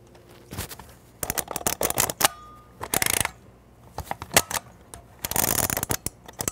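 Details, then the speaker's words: 1970s Kodak Instamatic camera loaded with regular 35mm film, heard at the side of the camera after a shot: short scraping squeaks as film pulls across the pressure plate back into the can, showing the film advances properly. "well I found is the best way to tell if it's turning if it's working is to after you take a shot listen to the side of the camera you can hear the film squeaking and pulling across the pressure plate back into the can"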